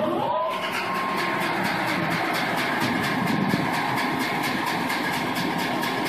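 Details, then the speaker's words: BAC cooling tower blower wheel starting at low speed: a rapid steady clatter, about five to six knocks a second, over the fan drone from loose blades with up-and-down play; worse with belts on in high-speed mode. "this video clip is to show the example of the blower wheel and the noise that it's making I come up to the wheel and grab the blades and push them up and down I don't know if you can hear it on the video but it's got play up and down"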